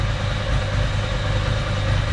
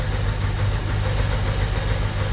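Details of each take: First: 1993 Ducati 750SS, about 85,000 km, standard Mikuni carbs with new jets, idle mixture at 4.5 turns out giving about 5.5% CO on the gas analyser: steady, even V-twin idle with a deep lope and no knocks or misses. Normal idle. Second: 1993 Ducati 750SS, Mikuni carbs with new jets, after long storage. Lumpy, uneven low idle with missing pulses, running on one cylinder because the idle mixture screw is wound fully in (1.2% CO); was four turns out.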